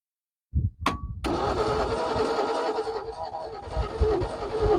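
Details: Ford XP Falcon sitting 35 years, after cleaning plugs and priming the bowl with petrol: starter grinds the engine over steadily for several seconds without a single catch; cranks but will not start.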